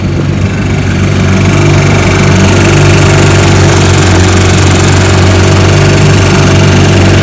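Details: 1955 Johnson Seahorse 10 hp outboard after mechanical restoration (ignition, carburetor, gearcase rebuilt), on the water at lake test: low, even two-stroke burble holding steady idle without stumbles or knocks; normal idle.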